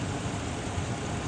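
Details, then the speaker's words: 2006 Dodge Ram 1500 4x4 5.7L Hemi after water pump replacement: a steady, even V8 idle with light injector clicking and no Hemi tick or knock, showing a healthy engine and successful repair. "and as you can see here we're not hearing any funny noises and this is probably as quiet as a Hemi will ever get you hear the injectors clicking away but no hemi tick"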